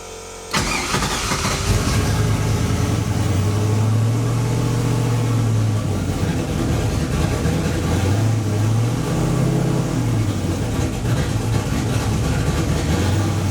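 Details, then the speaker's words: Project car being tuned, idling poorly: starts, then the idle surges and sags with hesitant revs; it reads leaning way out despite fuel being added, lean stumble, tune fuel and timing still being adjusted. "Adding more fuel. Oh, it's leaning way out."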